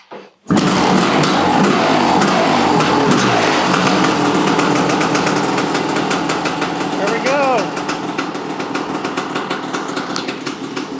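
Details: Kawasaki KX500 two-stroke after top-end rebuild with lots of assembly lube, running off the carb bowl: crisp, fast popping settles into a steady, even idle after a rough, slightly flooded first catch; running healthy.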